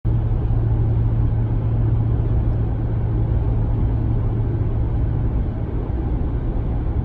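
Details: 2019 Ram 1500 at steady cruise in 8th gear: heavy, constant low boom in cab, present with or without MDS 4-cylinder mode, not road-related; persists after dealer replaced sound amplifier, reduced but not eliminated.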